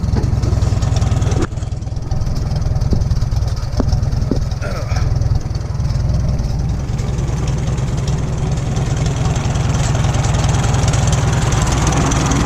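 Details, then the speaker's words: 1941 Farmall H tractor, running off old gas, engine possibly not rebuilt: slow, even low chugging idle at about four beats a second, no knocks or stumbles; healthy idle with a little smoke. "Yeah, it's a good running tractor. It's got a little bit of smoke, but I'm not sure if this engine has been rebuilt or n"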